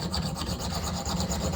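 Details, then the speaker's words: Hand-sharpening the cutting edge of a trumpet backbore reamer on a stone: steady back-and-forth rasping strokes of steel on stone with even, consistent bite and no skipping; the edge is now cutting evenly. "hear that it's cutting more evenly now too even real close real close"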